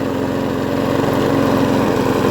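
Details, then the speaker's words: Huskee XT650 mower, given away after sitting in a yard for a year or two, revived and running strong about 10 minutes: small engine runs steady and even with a smooth, fast firing beat, no misses or knocks; healthy. "Brought another one back from the dead, guys. Thank you. I'm out. So it's been running about 10 minutes now strong."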